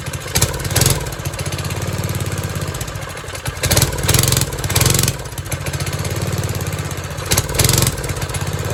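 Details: 1970s trike (believed MTD Mud Bug), believed 5 hp John Deere replacement single, dormant 5–10 years; after resetting the carb screws to 1.5 and the over-cranked idle screw, it holds a steady idle, blips return cleanly, runs acceptably.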